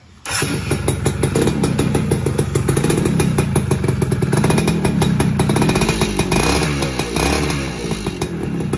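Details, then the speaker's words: Two-stroke motorcycle after engine rebuild, carburetor setting seemingly dialed in: starts and runs with a crisp even buzz, picks up cleanly on light revs; normal running. "Ini saya coba nyalain nih. Ini settingan karbu udah dapat sepertinya."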